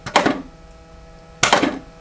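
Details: Arcade1Up Marvel Pinball machine with solenoids on, physics and music off: two short soft thunks about 1.3 seconds apart over a faint hum; solenoid kicks sound light and lack punch.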